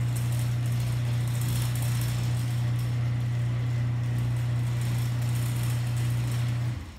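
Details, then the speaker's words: Genie ProMax 1/3 HP chain-drive garage door opener run with door disconnected: low steady hum for about seven seconds then winds down, no grinding or chatter, quieter than a screw-drive opener; healthy motor. "can see the motor it's always actually pretty quiet on this actually it's not a loud machine at all but which way it is but it's quieter quieter than you have a screwdriver"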